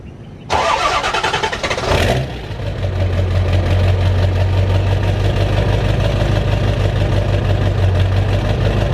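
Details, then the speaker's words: Diesel truck, cold start: cranks about a second and a half, catches, then a clattery idle that wavers slightly, mild surge with a little white smoke that soon clears; starts better than before, owner suspects oil mixed into the diesel. "Well, she starts a lot better, but there's a little bit of white smoke on startup. Smoke's almost disappearing. But she surges a little and white smokes a little bit on startup."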